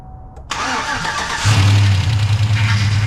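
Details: Chevy Tahoe with newly installed ATK 5.7 LS engine, first start after rebuild, monitored on tuner with break-in tune: short crank, catches cleanly and settles into smooth, deep, steady idle with no knocks or misses; normal engine start.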